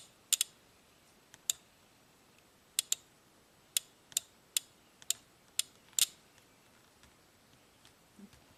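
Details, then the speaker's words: 1997 Ford F150, intermittent 4WD, code P1838, suspected bad transfer case shift motor relay: sharp clicks at uneven gaps for about six seconds as its control side is grounded at 0.11 A, then clicking stops. "when we ground it we hear the click and our voltage goes to zero now if we keep doing that and by the way the current is 0.11 amps let's keep doing that until this thing stops clicking"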